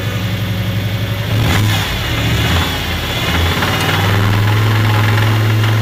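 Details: Turbocharged Toyota 1UZ V8 suspected of big end failure, oil pressure check in neutral: rough idle, then a small blip with a dull, uneven rumble underneath; oil pressure good, 60 psi at idle and about 90 revved; big end bearings failed.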